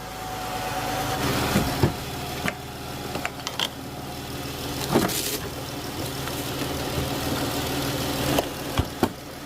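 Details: 2014 Chrysler 300 3.6, just after the oil pressure sensor repair, before the stored code is cleared: smooth, even idle with a few clicks and knocks from work around the car. No leaks found. Normal idle.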